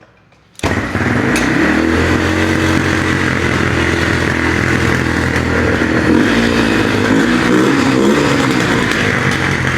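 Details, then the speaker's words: 2002 Yamaha TTR 125 after fresh gas and a carburetor clean (jets, floats and bowl cleaned of old-gas residue): catches and settles into a steady, even single-cylinder beat, idling a little high. "Idling a little high."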